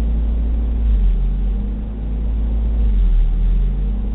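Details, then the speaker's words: 1991 Toyota 22RE petrol engine, warmed up, foot on brake: idle slowly surges up and down about every two seconds, 22–23 cycles then levels out; later traced to the idle air control valve. "after a certain temperature it starts to do this up and down"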